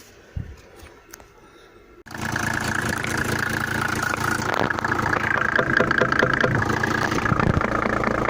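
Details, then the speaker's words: Mercedes W124 with a swapped-in 3.0 OM603 diesel, rough on cold start: fast, even idle with a sharp metallic knock from the cylinder 5 injector; a sticking nozzle needle is suspected, not confirmed. "форсунка вот эта форсунка на пятом цилиндры меня так патрубки такой стук-стук-стук стук-стук-стук слышно"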